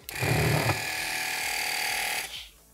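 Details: BMW F-series (5, 7, X) air suspension compressor, electric motor bench-tested on direct power: smooth, even whirring hum for about two seconds, then a clean spin-down; motor runs quiet and healthy.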